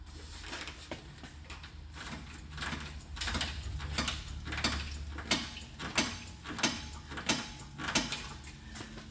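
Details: 2006 Toyota Highlander, about 226,000 miles, with a front thump over bumps and when turning: dull knocks about every 0.7 s as the parked body is rocked, a clunk at the left front. CV axle, strut and sway bar are new; loose nuts suspected.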